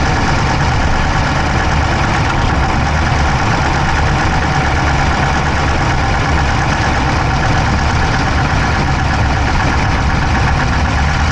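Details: Dodge Charger Hemi V8 at idle, camera inside the engine bay on the driver's side: rapid, even ticking at valvetrain-like speed over a steady idle; no smoke from the pipes, owner doubts a dropped valve, source unknown.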